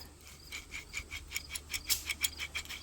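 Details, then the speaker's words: Wheel bearing/hub assembly removed from a 2005 Saturn Ion, spun by hand: a dry, gritty grinding rasp pulsing about five times a second; part of its casing had broken off, and it caused the noise, worse at higher speed. "see if you can hear the spinning oh that doesn't help any listen to the grinding listen to that"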